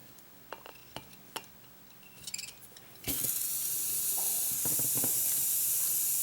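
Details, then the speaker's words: 1994 Saab 9000 fuel injector on a bench test kit after cleaning and new seals: a few clicks, then a steady spray hiss that never cuts off. The injector is stuck open and will be soaked in carb dip. "that one is actually stuck open that one might not be any good"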